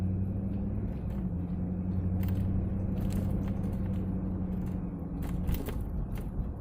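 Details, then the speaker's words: 2007-2014 GM Yukon/Tahoe/Silverado/Sierra AWD front differential after a rebuild for a bearing problem that had filled the diff fluid with metal shavings; test drive with windows down gives only low road rumble and tire noise, no whine or howl, so the noise is gone. "I'm gonna call that a success the noise is gone everything should be golden"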